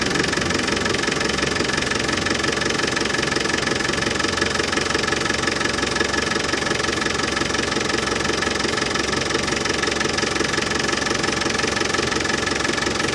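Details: Land Rover Defender 200Tdi diesel idling after new power steering pump fitted, during fluid top-up and bleeding: even steady clatter, no rattle or whine; new pump cured the rattle.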